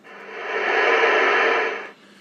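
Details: Ranger 2950 radio after front-panel button repair: even static hiss swells as volume control is turned up, holds steady, then cuts cleanly; receiver audio working fine.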